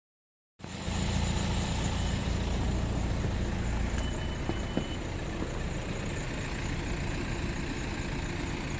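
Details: 2004 VW Passat 2.0 TDI wagon idling: deep, slightly uneven diesel clatter with rough running, heavy smoke at idle and no acceleration; caused by an EGR valve stuck open.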